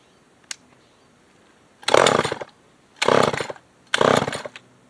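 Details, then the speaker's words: Old Remington SL9 chainsaw, first start on fresh mixed fuel with the air filter cover missing: three short, ragged revving bursts that drop off between them. Carburetor suspected to be getting too much air and may need adjusting. Rough running. "Sort of carburetors definitely probably have an issue. Going to have an issue. Might be getting too much air right now."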